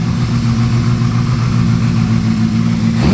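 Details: Honda CB550 four-cylinder motorcycle, freshly built and about to be test ridden: revs up crisp and even with a clean, steady note, no misses or mechanical rattle; normal, healthy revving.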